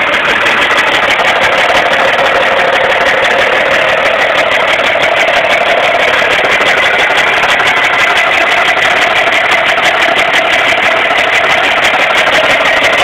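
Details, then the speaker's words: Mark 8 engine at idle, loud and hissy with an uneven tapping of roughly three beats a second; owner fears it is not doing well but the source is unclear; abnormal engine noise at idle. "but I don't think the Mark 8 is uh it's doing so hot I'm just I don't know what to think right now"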